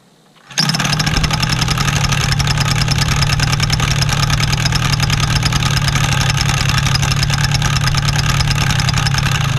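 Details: Paramotor small two-stroke after spark plug cap and wire repair, throttle at rest: fires at once and holds fast, buzzy, steady run with no cutting out or misfire; normal running.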